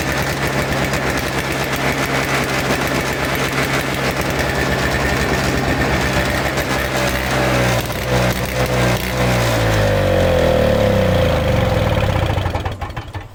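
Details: Toro Snow Commander two-stroke snow thrower, after fresh fuel, reconnected fuel line, choke and primes: catches and runs, revving up and settling, then cuts out, stall blamed on the ignition switch; old fuel suspected as main problem.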